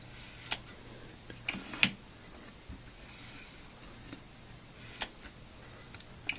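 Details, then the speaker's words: Osborne 1 computer floppy disk drive after servicing: sparse sharp little clicks over a quiet hiss; track 0 switch clicking normally, nothing seized. "I can hear the yeah track 0 switch happy to clicking so that's good"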